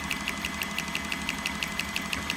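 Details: Refrigeration compressor run opened up after liquid slugging: sharp, evenly spaced metallic knocks about six per second over the running hum, from the damaged piston and valve.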